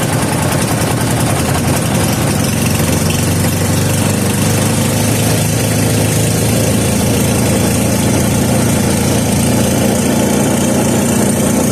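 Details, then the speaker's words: 3hp Briggs and Stratton horizontal-shaft engine running on new treated fuel after starting on choke: steady, even running at constant speed with no misses, surging or knocking. Already a runner. "well that was an interesting turn of events so this engine's already a runner"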